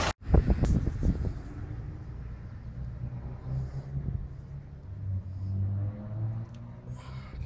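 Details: CAT/Perkins 3054C diesel on a wood chipper, unrun three years, after filter and fluid changes and battery cable repair: brief crank, catches quickly, settles into steady low diesel clatter, normal cold start and idle.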